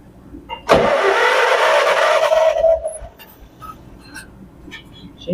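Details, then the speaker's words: 1958 John Deere 420W tractor, converted to 12 volt with a new battery, abandoned over 35 years: starter spins the engine steadily for about two seconds with an even whirring drone, then stops; cranks but no start, fuel not yet at the carb. "She's a spinner. We'll let it set for a minute and get the gas down to the carb."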